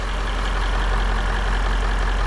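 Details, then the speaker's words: Range Rover L405 that runs rough and chugs when cold, during a throttle body swap: a steady low idle with soft, uneven bubbling gurgle at the air intake, heard with a hand over the intake. Cause unclear. "you do is put your hand over it when I'm ring it then is a gurgling ni a gurling t"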